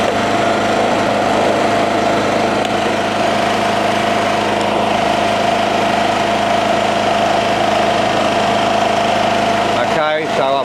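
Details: Honda-clone single-cylinder generator rated 2.2, started on choke on the second pull after 5+ years in a shed: a steady, even drone with a constant high hum, no misses or knocks, settling into a smooth normal run.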